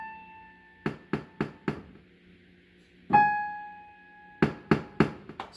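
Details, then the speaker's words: Casio PX-850 digital piano: the A5 (and Ab5) note rings with sharp pops, about four per strike, louder when hit harder and mainly from the left speaker; the fault moves with octave shift, so it is the processor's synthesis, not the key. "Okay. So, something is defective with the synthesize portion of the processor. So, it's not about the key because when we shift the the keys, the issue shifts as well."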